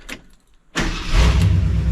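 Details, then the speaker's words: 1972 Ford F-100 Sport Custom V8 with glass-pack exhaust, cold start after a new exhaust gasket fixed a leak at the blown forward heat shield: quick crank, catches, high idle kicks down into a smooth, deep rumble with no exhaust tick. "no it kicked down i think yeah it's just running super smooth and no exhaust tick anymore"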